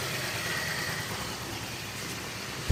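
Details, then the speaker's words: Yamaha Mio M3 125 scooter at 44,000 km after CVT service, cleaned rollers reused and worn part replaced; low even idle hum, no belt-drive rattle or slap; smooth, healthy. "untuk ini udah selesai diservis dan tidak teman-teman dengar suaranya cukup halus ya semuanya"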